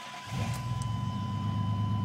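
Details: Chevy pickup that broke down, after installing a new relay (loose connection and failed old relay). It catches almost instantly with no long crank and settles into a steady, low, even idle; normal start and idle.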